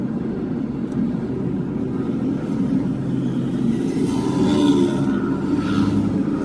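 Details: Toyota Hilux road test after repair of grinding noise inside transmission and delayed shifting: steady road rumble, no metallic grinding or clunks; earlier slipping engagement gone, normal transmission operation.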